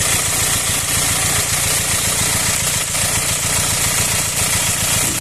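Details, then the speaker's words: Four-cylinder engine swapped in for the original six, rough and loud since being removed and refitted; sound level about 85 versus 60, seemingly air in hoses at morning start. Loud hissing rush over a lumpy idle that cuts off; cause unknown. "فالسياره بعد ما فكينا المحرك ولحمار مره ثانيه صوتها صار خشن وعالي عالي كمان تقريبا الدرجه حسب الصوت 60 حاليا عم يوصل للخمسه وثمانين كذلك الامر الصبح اول ما اشغلها كانه في هواء بالخراطيم"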